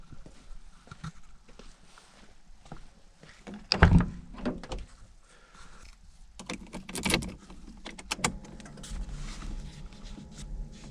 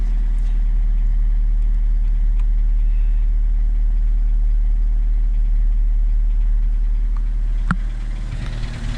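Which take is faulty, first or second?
first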